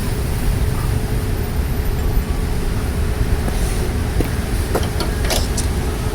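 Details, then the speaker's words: Craftsman 22-inch side-discharge push mower, small single-cylinder engine revived, primed after reassembly: steady even low drone with no misses or surging, running really well; normal running. "running really well."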